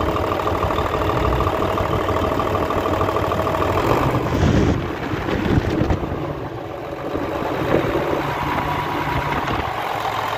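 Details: Hino J08C Euro six-cylinder truck diesel after the air compressor repair: steady idle clatter with a brief rev blip and no knock; runs clean and healthy, with sound and smoke checked.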